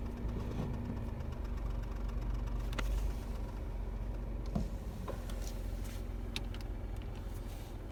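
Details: 2023 Renault Kwid under six months old: small engine idling evenly with a few faint, irregular clicks on top; an unexplained clutch noise.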